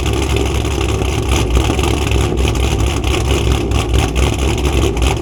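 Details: Cammed Camaro V8 after coil packs were returned to their original positions and the O2 sensors were cleaned: deep, choppy, lumpy idle with a cammed lope, no misfire or knocking heard at this time.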